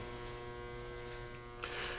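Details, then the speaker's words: Workshop 400-watt metal halide lamps with ballasts, before conversion to direct-wire T8 LED bulbs: steady, fixed-pitch electrical buzz fills the room, heard even through a highly directional shotgun microphone; ballast buzz. "as i talked about in the previous video we are working on swapping out these metal halide lights which you can hear buzzing annoyingly in the background"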